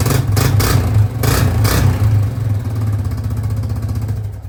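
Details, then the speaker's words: 2005 Yamaha Grizzly 660 ATV single, started after repairs with very little choke at about 16°C (60°F): thumps into life, blips a few times and settles to an even, steady idle; starts much better than before, normal running. "That was a lot better. That was like very little choke, which I mean, it's probably, I think it's about 16 degrees Celsius outside, which is roughly 60 degrees Fahrenheit, which isn't really that cold for a machine like this."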